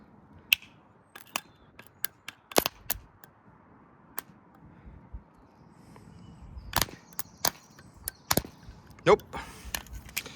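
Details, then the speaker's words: Kia Sorento starter motor, removed and jumped directly from a battery: only crackling snaps from the jump lead with no motor whir; something inside the starter has shorted out. "something inside that has shorted out."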